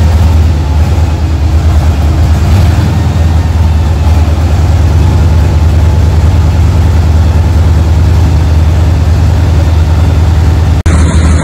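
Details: 1976 Tatra 813 V12 diesel idling at its first start after about 20 years, after the head was removed, the cylinders and pistons cleaned and damaged parts replaced: a deep, steady, low rumble with an even beat and no knocks or misses, a healthy idle.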